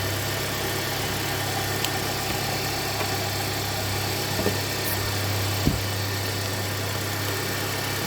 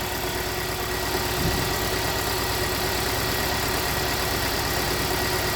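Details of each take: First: 2017 Hyundai Santa Fe Sport 2.4 with P0301 cylinder 1 misfire and suspected oil consumption, started after repair with codes cleared: steady even hum, constant low drone, no stumble or miss; normal idle. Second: 2017 Hyundai Santa Fe Sport 2.4 at idle with P0301: uneven idle with irregular stumble every few beats over steady hum; cylinder 1 misfire, oil-fouled number one plug, simple coil suspected.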